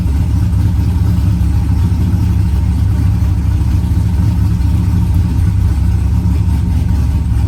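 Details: Corvette V8 together and running, pre-lubed with an AccuSump before cranking: deep even rumble holding a steady beat, no knocks, misses or ticks; normal running.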